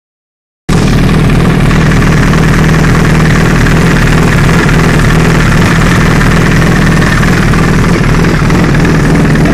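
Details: 2008 Honda CBR 1000 RR idling with a loose, uneven clacking, about four per second, that disappears under load in first gear; engine opened showing nothing broken or loose, owner suspects the clutch basket.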